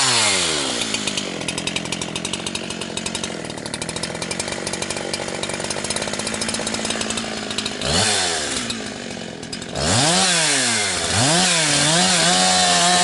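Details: Husqvarna 362XP Special with wrong ignition coil and Walbro carb, cutting firewood: fine at about 9,000 rpm dogged in, but nearing 11,500–12,000 rpm it cuts out and gargles, four-stroking, barely reaching 10,000–10,500; not carburetion, coil rev limiting.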